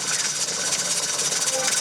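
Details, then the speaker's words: Pressure canner on an LP hotplate outdoors at about 11.5 psi after heat turned down: even steam hiss, jiggler settled with gentle flutter rather than wild movement; holding steady pressure normally. "the pressure gauge is about 11 and a half and you've got it evening i can i can hear it's a little different now okay the jiggler changed your jiggler changed the way it's not wildly moving yeah it's settled"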